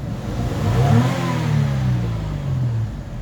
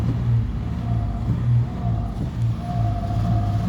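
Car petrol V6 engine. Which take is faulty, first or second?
second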